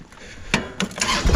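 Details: Kubota L2501 HST tractor diesel after a no-crank fault, with the safety switch adjusted (PTO switch suspected): a few sharp starter clunks, then it catches and builds into an even running note; starts and idles normally.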